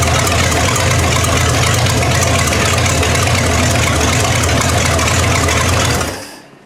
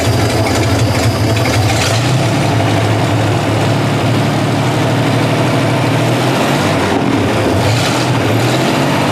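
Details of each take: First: 1960 GMC V12 at idle after new plugs were fitted: an uneven, stumbling beat before shutting off. One cylinder misses. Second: 1960 GMC V12, points ignition, idling after the miss was fixed by tightening a loose spark plug: deep, even idle with a steady low rumble and no skips or stumbles; running smoothly on all cylinders.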